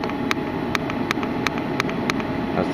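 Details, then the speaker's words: 1997 Mercedes W202 climate-control duo valve (heater water control valve) heard with engine off, ignition on, after cleaning; sharp regular clicks about three per second, meaning the valve works electrically and any fault is likely clogged hoses. "Dual valve clicking so if you hear those clicking you basically know electrically you're good"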